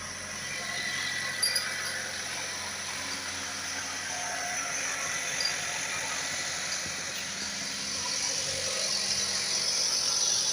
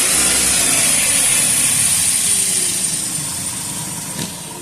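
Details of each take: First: 2012 Chevrolet Captiva 2.4 16-valve petrol idling: a thin, fast metallic rattle over a steady whir, from a slack, worn timing chain. The chains are being replaced. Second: 2012 Chevrolet Captiva 2.4 16-valve petrol engine after a timing chain repair for chain noise: it runs smoothly with a light rev and settles back toward idle, with no rattle or ticking; noise eliminated.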